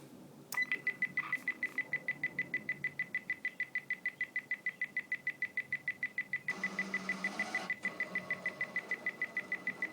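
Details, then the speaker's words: Clansman VRC-321 military radio transceiver at power-on: quick even high beeps about three a second as it warms up, then a brief whirr of internal mechanised tuning; normal start-up. "So once it had warmed up, it did some kind of mechanised tuning inside. It sounds quite bizarre."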